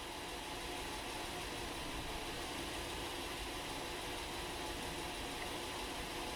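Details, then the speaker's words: 2012 Honda Pilot 3.5L V6 EX Touring 2WD with flashing check engine light, code P0303: uneven idle with an occasional stumble every few revolutions, a steady cylinder 3 misfire felt at the steering wheel. "so we have a pretty steady misfire not every revolution of the engine but it's definitely there quite a bit"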